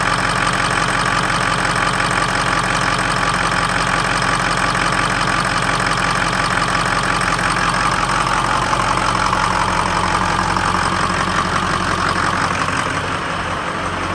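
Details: 2003 Ford F-250 6.0L Powerstroke diesel during startup testing: uneven, loping idle, about three pulses a second that stumble now and then; rough idle, possibly a misfire.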